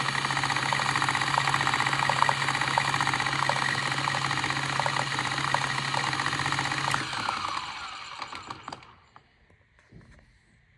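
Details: Mahlkönig X64 SD coffee grinder running with a strange busy, uneven rattling buzz, winding down then restarting abruptly at full speed; owner asks whether others see similar behaviour.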